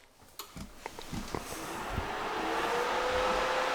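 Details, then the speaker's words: Mining rig power supply with 120 mm fan on dedicated 120 V 20 A circuit: switch-on clicks then fan whoosh climbing to a steady hum with thin tone; power supply fan is too loud. "the mining cave power supply it's too loud I thought the 120 mil fan would be okay but it's kind of loud you guys can hear it right"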